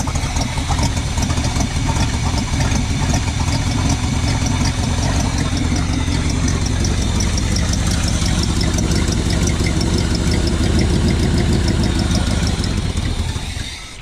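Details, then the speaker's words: 1980 Chevy K20 squarebody 4x4 V8, freshly rebuilt Quadrajet carb with new fuel filters, first start after bowl filling: sputtering out the vent, likely flooded; uneven, lumpy running slowly steadies and builds, then fades out as flooding clears. "She's sputtering out the vent. I might have flooded it. Go figure."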